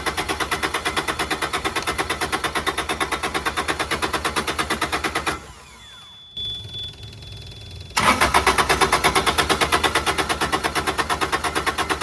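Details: Carrier Supra 850 reefer with Kubota D722 diesel on a Volvo VNL780, unstarted for weeks, fuel lines just refitted loosely: steady cranking about three beats a second that never catches, stops then resumes; air in the injection lines prevents a start.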